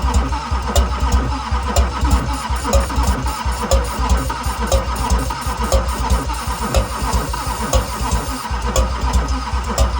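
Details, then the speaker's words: 2001 LB7 Duramax cranked while sprayed with ether; steady cranking with a sharp pop about once a second, never fires; owner suspects bent pushrods and possibly a sheared cam pin, doubted because it still pulls vacuum. "probably has a sheared cam pin probably has some bent push rods which is where you're getting that popping from"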